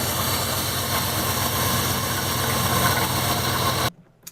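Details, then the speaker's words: 2001 Dodge Ram 1500 5.9L V8, cold weather, after idler pulley replacement: rough gritty grind still rides over the idle until shutdown; owner suspects another belt pulley, not confirmed. "right guys we got that replace as you saw but it's still making a grinding noise I think it was another pulley I'm gonna have to check it"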